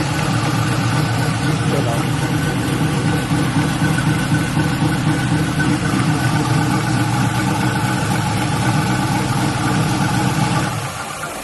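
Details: LS-swapped Buick Regal, just after thermostat replacement, started with radiator cap off before adding coolant, leak-checked dry: steady, even V8 idle with smooth low rumble, no knocks or misses; normal idle.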